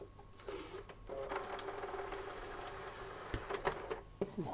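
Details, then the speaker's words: PS3 Slim on AV output, which later would not eject its disc. Irregular gritty crunches and clicks as the disc loads, then a faint spin-up: a crunchy disc-loading noise, cause unclear. "sounds a bit crunchy. Disc is spinning up."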